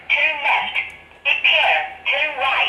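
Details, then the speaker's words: Bajaj Pulsar 220 with an aftermarket anti-theft alarm: when the left indicator is switched on, its small voice speaker repeats a tinny recorded announcement in short bursts every time. Normal feature, and that speaker can be disconnected. "एक ये आवाज़ indicator देते वक्त हर time ये आवाज़ आती है।"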